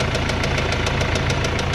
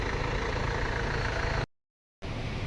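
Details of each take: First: Mercedes-Benz CLS W218 engine: a sharp, even knock about seven times a second over the engine rumble that follows engine speed with just a light blip of throttle, a rod bearing knock. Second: Mercedes-Benz CLS W218 after repair of engine knocking: steady, smooth idle with even low hum and no knock; revs up well, temperature okay.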